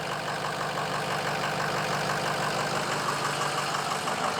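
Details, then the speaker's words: Ford F350 6.0L diesel, formerly crank-no-start, first run after repair, no coolant in it: steady diesel clatter at an even idle, about three beats a second, no stumbling or knock; engine running healthy. "Wow, check this out. It runs"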